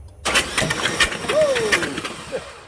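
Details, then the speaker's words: 2003 Chevy Silverado 5.3 V8 from a rollover, hydrolocked, cranked with spark plugs out: short burst of uneven cranking with wet spitting as oil sprays out of the plug holes on the side it laid over on. "Yeah, we got a mess. But it was only on one side. Look at that. It was all on this side, but yeah, we made a mess. Wow, look at that. It sprayed all over the place."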